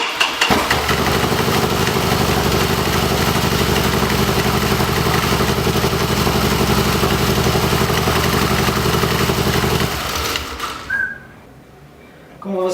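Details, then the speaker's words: Harley-Davidson Dyna V-twin after starter-noise repair (clatter traced to compensator part, replaced): starter spins briefly, fires cleanly into steady lumpy idle with no engagement clatter, then shuts off; normal healthy start, problem resolved. "viram problema resolvido três partidas seguidas sempre com a outra peça na segunda partida sem chance problema resolvido"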